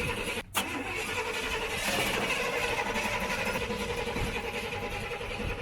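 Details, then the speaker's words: 1941 Chevy pickup rat rod, sat unused for a while, battery in back jump-charged: starter churns on and on but engine never fires; starter fluid to be tried next. Crank no start. "right so I'm gonna try to put some starter fluid in it sometimes that works"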